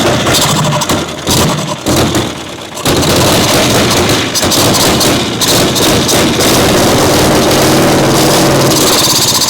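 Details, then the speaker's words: Caterpillar Diesel 70 two-cylinder pony starting motor, just choked, carb dripping: stumbles and sags unevenly, catching and fading, then runs rough and loud as if starved for gas despite good fuel flow. "It acts like it's starving for gas. It does. We have a good flow."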